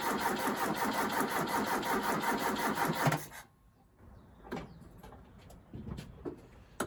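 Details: Ford Capri with coil lead and fuel pump fuse pulled so it can't fire; starter churns slowly and laboriously three seconds during a voltage drop test; tired battery suspected, earths cleaned.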